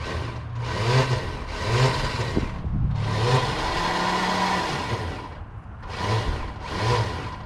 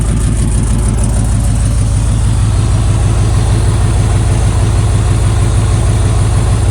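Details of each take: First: 1995 Buick Roadmaster Estate Wagon that sat for a few years, first crank attempt: bursts of high-pitched whirring with no cranking rhythm; starter spins freely but doesn't engage the flywheel. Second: 1995 Buick Roadmaster Estate Wagon that had sat for years, first start after fuel priming: a deep, steady V8 idle with an even low burble and no knocks or misses, though coolant spilled from a missing upper hose clamp.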